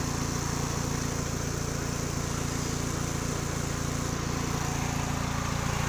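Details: 2000 Kia Sephia: steady idle with a faint uneven stumble in the exhaust pulse, about three to four beats a second; misfire at idle, spark plug suspected, not confirmed.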